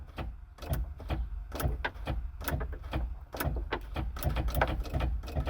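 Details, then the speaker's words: Bobcat skid steer that only clicks when the key is turned: irregular sharp clicks, about two a second, heard down by the operator's foot over a low rumble, no cranking; suspected starter, voltage or connection issue. "here's some clicking down by my foot here"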